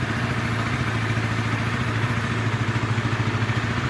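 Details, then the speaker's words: Sonic motorcycle engine at 85,000 km, original cam chain never replaced, after crankshaft bearing and balancer bearing replacement; rough uneven idle with fast metallic rasping clatter from worn cam chain, to be replaced. "Nah masih kasar ini disebabkan oleh rantai keteng teman-teman rantai ketengnya juga udah lumayan aus teman-teman ini ada suara ngasreng kayak gitu"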